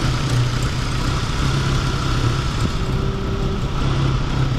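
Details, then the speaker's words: Geo Tracker with engine just reinstalled, first start: fuel pump running, steady even idle with smooth low drone and no knocks or misses; timing later checked about 8° BTDC: normal idle. "fuel pump's running that's good oo she's idling too maybe the timing's good"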